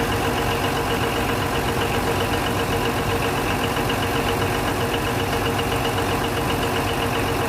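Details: Denyo DCA610SPM diesel generator after magnetic pickup wiring checked: steady, even diesel drone at constant speed with a faint mid tone, no misses or knocks; running normally.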